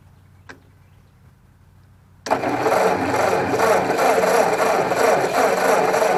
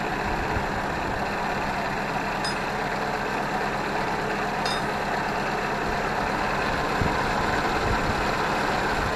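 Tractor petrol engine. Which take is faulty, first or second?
first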